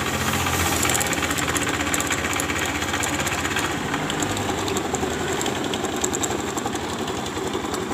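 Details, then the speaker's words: Honda Beat FI scooter at idle, never routinely serviced, after oil change: rough uneven clatter about four beats a second from the CVT case; something loose at the rear pulley, worn rollers loose in the housing. "di bagian bak puli belakangnya semacam ada yang longgar"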